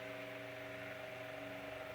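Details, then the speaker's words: Restored GE brass blade fan AOU 75423 with new head wire and regreased gearbox, on high oscillating raised to about 124 V, above its rating: a smooth, steady mid-pitch hum with soft airflow and no rattles; runs fine. "so that's way above what it's rated and it's running fine running good"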